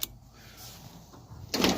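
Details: 1988 Nissan Hardbody 4-cylinder fitted with a power window regulator, motor and switch from an about-1990 Hardbody, fed through a fuse in the fuel pump fuse slot: short, smooth motor whir with no grinding; the window works normally.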